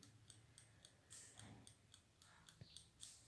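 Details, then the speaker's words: Electric oven clockwork timer, freed after being stuck a long time using rust-penetrating spray and light tapping, ticking quietly and evenly about three or four times a second; running normally after repair. "tá vendo e ele tá funcionando normal ele tava parado eles há um bom tempo"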